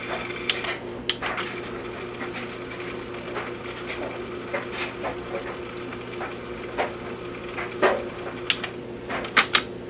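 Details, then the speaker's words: JVC TD-W75 cassette deck after repair of its squeal, playing side B: steady low motor hum with light clicks, no squeal; tape transport turning smoothly. "Alright, let's try the other side. Counter to B. Oh yeah, baby. We're cooking with gas now."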